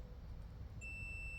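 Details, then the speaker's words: Multimeter in continuity mode with its probes on a bottom washer: low room hum, then a steady high-pitched beep from 0.8 seconds as current passes, a complete circuit. "so basically what the multimeter is doing it has a battery in it and it's just send sending a signal to the two terminals here the two prongs if current can pass through"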